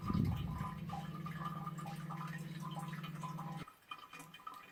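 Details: Toilet cistern not sealing after refill: steady low trickle of water into the bowl for a few seconds, then stops. Later fixed by cleaning the seals and limescale. Toilet cistern leak.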